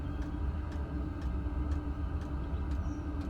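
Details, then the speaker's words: Chinese diesel heater (eBay) in a van, mic close to the fuel pump by the tank: crisp, even ticking about twice a second over a low rumble; dosing pump pulsing normally, muffled from the cabin. "try and get you close to the tank the sorry the pump so you can hear the ticking and that's what you hear"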